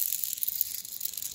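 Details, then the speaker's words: Bearing from the B gearbox (2.58:1) of a 65 hp Rotax 582 on a 1987 Spectrum Beaver RX 550 ultralight, spun by hand: faint uneven dry rattle with sharp clicks, lots of play; it caused a funny engine noise. "this is one of the bearings and if you can hear it make it makes noise and it really shouldn't it rattles and there's a lot of play in it and it even it clicks"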